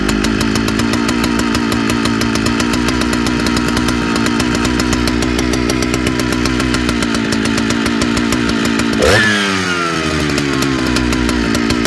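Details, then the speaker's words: Large Jonsered chainsaw, recently acquired: a steady high buzz that comes and goes, hit or miss, with a sudden pitch sweep. Uneven running and surging; owner suspects seals or the fuel line. "it's uh it's you can kind of hear coming in and out is hit or miss almost sou"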